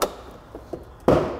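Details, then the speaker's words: 2005 Honda Element tailgate opening: a few light clicks, then one sharp loud pop as it binds; rear bumper appears pushed in or moved, needing replacement. "It's binding right there. So that told me that the bumper had been pushed in or moved in a place that wasn't advantageous."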